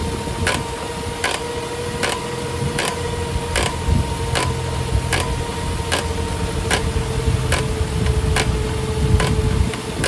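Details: Toyota Avanza Veloz automatic: sharp regular knock about every 0.75 s over faint steady hum, with each wheel turn; warped brake disc, fix is on-car disc resurfacing.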